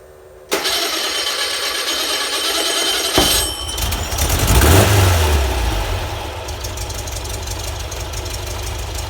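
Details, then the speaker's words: VW Type 4 engine after cam break-in, oil change, original 009 distributor and Bosch ignition, idle jets 55 to 50, previously hard to start: catches promptly, flares briefly, settles to even steady idle with no misfire; runs much better. "runs much better now turn a fan on anyway it's been letting it run through some heat cycles"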